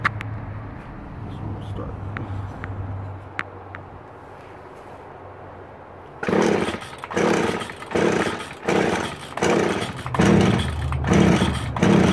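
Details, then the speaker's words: Stihl string trimmer, new primer fitted this year, must be tilted to get fuel, started on choke: it catches and surges in uneven bursts about once a second and never holds a steady idle; runs rough, and the owner suspects it needs carburetor cleaning. "oh oh ah yeah it probably needs some carburetor work probably some card cleaning"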